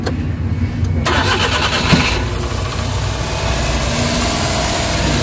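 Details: Suzuki DA64/DA63 after replacing an oxygen sensor and ignition coil and adding engine treatment: cranks briefly, catches cleanly and settles into a smooth, even idle; the vibration with A/C on is gone.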